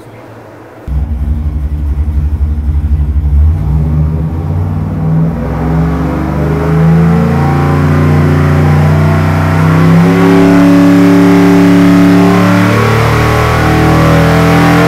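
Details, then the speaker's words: LS1 on the dyno with Summit aluminum heads, cam, single-plane intake and 750 Holley, about 430 hp; engine fires, then pitch climbs smoothly at wide-open throttle with no misses, described as smooth and efficient. "Now when you go to this motor and you insert it, Yeah. Wow. it's very smooth, it's very efficient. It's happy."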